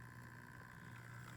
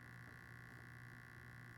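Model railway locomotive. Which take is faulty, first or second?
second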